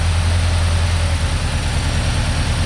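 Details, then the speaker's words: 1990 Ford Ranger with a new remanufactured long block, cold engine after throttle input: low heavy idle with uneven stumbling beat and dropped pulses, engine shaking, at least one cylinder dropped and getting progressively worse; engine misfire. "I don't know if you'll be able to see it and it's shaking pretty good it's dropped at least one cylinder and it gets progressively worse"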